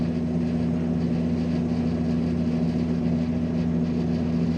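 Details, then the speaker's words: Amana PTAC PTC153E50AXXXAA after control board replacement (RSKP0013), switched to cooling on a cool day: a steady low compressor hum under the fan's airy rush, smooth and even with no rattles or clicks, so the compressor runs normally. "Hear it running. There comes the [Music] compressor. Yep."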